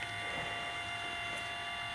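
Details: Belimo NFBUP-S damper actuator powered directly from 110 volts on the bench: quiet, steady high-pitched motor whine with faint gear buzz, smooth and even, auxiliary switch closing around 50%; normal actuator operation.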